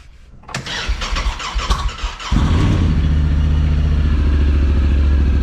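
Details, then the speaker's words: Talon engine with fresh spark plugs and injectors, starting after dead battery, airbox off: starter whir catches, then smooth steady low idle, even beat, no misfire or knock; sounds a lot happier, normal running. "Sounds a lot happier."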